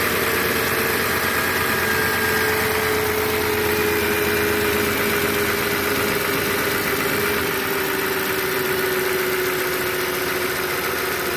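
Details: 2007 Audi S8, about 73,000 miles, cold start after sitting a month: steady even idle with high-pitched air pump noise in background and light quick normal injector ticking, about three per second; no abnormal noise.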